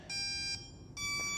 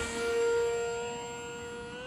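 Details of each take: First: HobbyZone AeroScout 1.1m RC plane, already bound: speed controller gives two quick bursts of high multi-tone beeps at power-up ("two dances" means SAFE is active); normal power-up beep sequence. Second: HobbyZone AeroScout 1.1m RC plane electric motor: whine climbs slowly and steadily over a couple of seconds instead of jumping up, as the speed controller is set to a slow throttle ramp the pilot wants reprogrammed.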